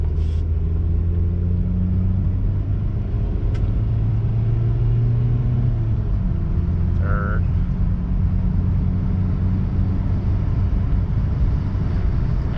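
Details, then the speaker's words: 2002 Toyota RAV4 with transplanted engine and U140F automatic transaxle, after fixing a P0758 shift solenoid B code, on a test drive: low, even road rumble, engine note dropping smoothly at each upshift through overdrive and overdrive lockup, no flare, slip or clunk; shifting normally. "there's overdrive and there's overdrive lock up well that fixed it"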